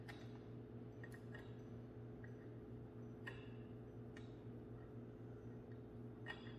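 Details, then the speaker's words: Replacement pull-chain switch in a ceiling fan light: sharp single clicks over a low hum as the chain is pulled, snapping positively. The old faulty switch made no click and just slid with friction. "the old one it would not make that clicky noise you would not hear it just you just see the friction sliding back and forth so that's how i knew that it was not functioning properly"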